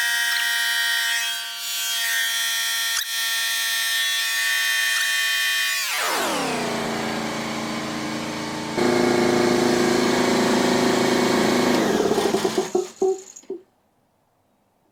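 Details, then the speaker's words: DeWalt C55146 Type 9 air compressor, 15 A, rated to 225 psi, after repair of not shutting off; steady motor hum dropping in pitch as pressure builds, then winds down and stops by itself; normal running with automatic shut-off. "let's say we turn it on for like five more seconds and if it doesn't turn off by itself we try it again oh there we go turned off perfect"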